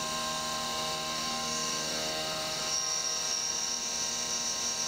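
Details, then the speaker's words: CNC mill roughing an AR15 high-rail gas block lightening pocket in two Z-level passes, full-width slot around the part's back side: steady piercing high squeal over spindle hum; end mill chatter despite split passes; lowering rpm considered. "this roughing operation in two passes two z level passes to try to eliminate that chatter when it does a full slot around the back side of the part right here it's still chattering"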